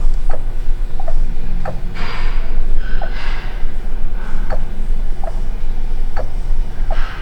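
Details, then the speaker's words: 2009 Suzuki SX4 with engine light and EVAP leak codes, EVAP vent valve commanded open and closed with a scan tool: crisp clicks over a low rumble. The valve mechanism moves and works normally. "I open and close the vent valve you can hear a mechanism in there moving so that's good"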